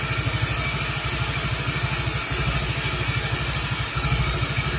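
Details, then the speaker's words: Suzuki Nex FI scooter after replacing worn CVT roller parts: even low putter at idle with light clatter underneath; the loud CVT and gearbox roar is gone, only mild wear noise remains from a slightly gapped gear. "untuk yang suara ribut seperti di awal video Alhamdulillah sudah hilang ya sudah hilang suara yang ribut banget di CVT dan di gearboxnya"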